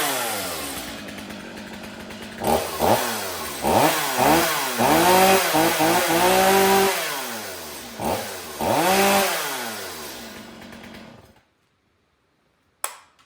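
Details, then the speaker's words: Stihl MS 250 C Easy Start chainsaw after the fix for flooding from repeated choke starts: fouled spark plug replaced, air filter cleaned, stale fuel swapped for fresh. It fires quickly and revs cleanly in crisp bursts, returning to a steady idle; runs healthy. "so fresh fuel you see me start it it starts excellent it runs excellent"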